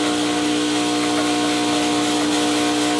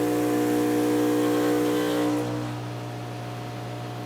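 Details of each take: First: Vibiemme Electronic Super HX espresso machine during detergent backflush with a blind basket: steady loud electric buzz as the vibratory pump builds pressure, normally settling to a hum at pressure. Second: Vibiemme Electronic Super HX espresso machine during the detergent rinse cycle after backflushing: steady buzzing pump hum that eases to a lower, even drone for a few seconds, then stops; normal pump operation under pressure.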